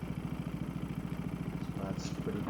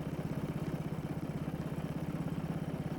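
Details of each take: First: Small engine after carburetor cleaning, idle speed screw turned down about half a turn: quick, even putter with no misses or hunting, gauge reading about 1610 rpm, right within range; normal idle. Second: Small engine just after carburetor cleaning and reassembly, before governor adjustment: steady, quick putter about 200 beats a minute, even but too fast for idle; idle speed screw to be turned down about half a turn.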